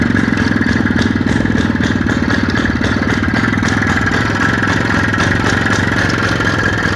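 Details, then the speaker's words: IZh Planeta 5 motorcycle with a key-operated dynastarter, idling just after start-up for a sale. Even, rapid two-stroke ring-ding with no knock or clatter; the seller says the engine makes no bad noises and that it is good. "Motorlar hech qanaqa ovoz yo'q aka. Mana bu amazatillari."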